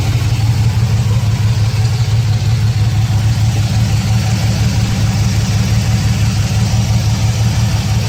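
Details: 2006 Chevrolet Silverado 4.3 V6 at idle: deep, uneven idle stumbling about three times a second, runs rough with blinking check engine light, codes P0305 and P0200; cylinder 5 misfire, possible failed injector, open harness or bad ECM signal.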